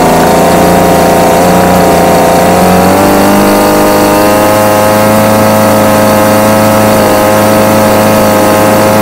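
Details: Homelite UT20042A two-stroke string trimmer after carburetor replacement (C1U-H60), previously wouldn't start: buzzes at steady idle, then picks up cleanly to a higher even speed, smooth with no misfire or hunting.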